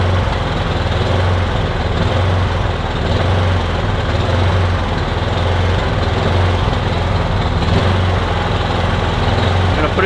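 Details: Kipor Sinemaster IG2600 digital generator, stored in a garage for years, on old petrol, running on choke with starting spray, cold: small single-cylinder engine with an uneven, lumpy, slightly surging beat, not yet settled; owner hopes it smooths out.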